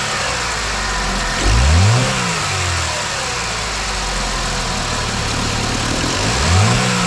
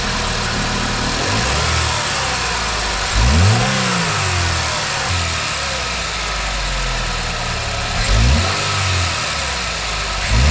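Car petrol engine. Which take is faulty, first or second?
first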